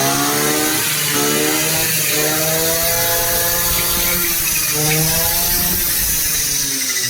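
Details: Womier 2-stroke brush cutter after replacing fuel pipes and fuel filter to cure a no-start and petrol leak: high, buzzy drone holding steady speed with no stumbling or misfire; running properly.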